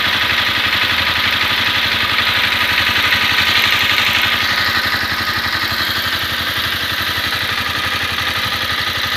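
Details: Honda CBR250R warm single-cylinder idle after a 15 km ride home from office: steady sharp ticking about four per second from the top end; shim clearance or cam chain tensioner suspected, not confirmed.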